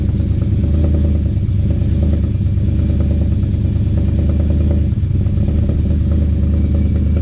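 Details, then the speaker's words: Freshly swapped 6.2 V8 in 2013 Silverado GMT900, in break-in before break-in oil change, cold idle: deep even burble, no ticking or knocking; quiet, holds oil pressure, sounds healthy. "I'm not seeing any problems with it so far. It's nice and quiet, holds oil pressure, all that."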